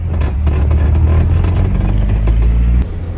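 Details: Toyota AE86 with a new Tomei T-Trax 1.5-way LSD and OEM 4.77 ring and pinion, during break-in in slow turns/figure eights: steady engine drone with rapid clunky chatter from the rear axle, normal for break-in.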